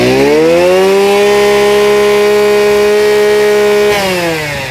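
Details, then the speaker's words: Used two-stroke Mitsubishi brush cutter (ex-Department of Highways auction unit, genuine shaft and gear head) started easily and revved; clean tone climbs smoothly to a steady high buzz, holds, then drops back cleanly, healthy crisp revving. "มาฟังเสียงสตาร์ทติดง่ายนะครับตัวนี้เป็น2จังหวะนะครับ"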